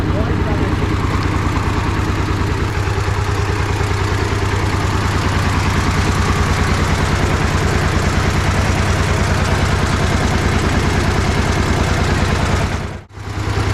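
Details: 1960s DT-14 tractor, single-cylinder diesel, cold start after 10 years: regular, firm thumps about three per second holding an even beat; the old diesel runs and idles steadily, normal idle.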